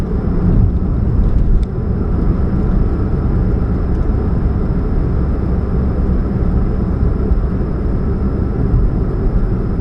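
Low droning hum under a steady engine run with a faint buzz throughout; points to an exhaust leak at the catalytic converter.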